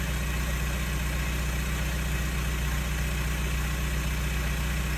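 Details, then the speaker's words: Mk4 Jetta TDI diesel with modified exhaust, gap at a half clamp to be butt-welded; deep even idle with puffing chuff each pulse, little flow out the back; exhaust leaks all over. "all right guys so as you heard it sounds like leaky leaky leak it leaks all over the place"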